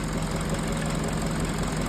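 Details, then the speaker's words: 2011 Peugeot 207 after fixing stalling, misfire and rough idle: smooth, constant low hum with steady beat, no misfires or tapping, warming up as idle relearns; normal idle. "So ayan Ah 90° Cel iyung temperature. So normal ang idle."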